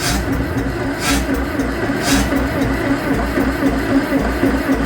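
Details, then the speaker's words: Farmall 650 tractor that has sat a long time, with fuel and spark confirmed: rhythmic starter cranking about once a second with occasional firing puffs and a little exhaust. It tries to catch but never runs on its own before the battery dies. "We got gas here. Let's see. Yep. Okay, we got gas there. We know we got spark. We got a little bit of exhaust."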